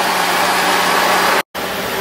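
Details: 1977 Cadillac Eldorado idling after refurbished radiator and new water pump, heater core bypassed: even, unbroken idle with no misses, knocks or sputter under a slight steady hiss from the back of the engine, possibly coolant, owner unsure.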